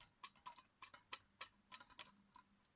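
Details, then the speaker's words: Mechanical alarm clock kept running during repair, being flipped and shaken to check for obstruction: crisp ticks about three or four a second continue throughout; the movement runs freely with nothing obstructed. "I like to keep it running because I can see the parts moving and I'm sure that nothing is uh obstructed"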